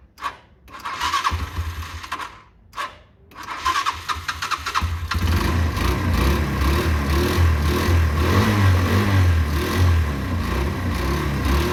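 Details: Derbi 125, a former non-runner, after a quick carb service and fuel tank clean: a few cranking bursts, then it catches and settles into a steady, even thump with clean revs; it runs healthy.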